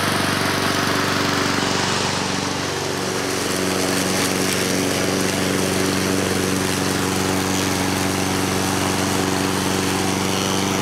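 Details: 2014 Husqvarna HU700F self-propelled push mower, Honda GCV160 engine, after a carb clean: holds a smooth, constant buzz after a brief speed dip, no hunting or stumbling; running healthy.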